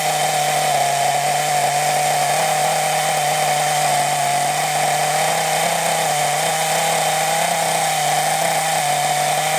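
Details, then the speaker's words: Scrap Thunder Tiger .28 Pro nitro RC engine, no clutch or bell, only flywheel, unloaded: high, steady, slightly wavering scream; owner thinks it sounds a little lean and turns the main needle out slightly. "Too much. It just sounds a little bit lean, so I was just trying to turn that main needle out a little bit just to see if it's reaching it up a tad."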